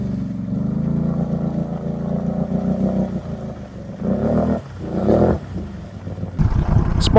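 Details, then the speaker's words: 2021 Can-Am Renegade 1000 XMR labouring through mud, stumbling and dropping out twice before catching again; owner suspects front spark plug boot, recently replaced for earlier cutting out, still acting up; unconfirmed. "plug was acting up a little bit there"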